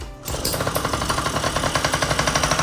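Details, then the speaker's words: Yamaha PW50 two-stroke with new reeds, hand-started: barks into life with sharp, rapid popping that stays choppy and never clears. Engine bogging; the owner thinks the fuel tap being off may be the cause. "It's still bogging out, which I don't quite understand why cuz I got the new reeds in there."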